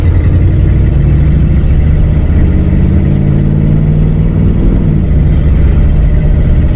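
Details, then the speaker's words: 1959 AMC Rambler with 3-speed automatic, sat 40 years, after Seafoam Trans Tune treatment of gunked transmission: engine pitch climbs under light throttle then drops cleanly on a timely first-to-second upshift with no flare or slip; shifting fixed. "Second gear. Easy, boom, that's it. It's fixed."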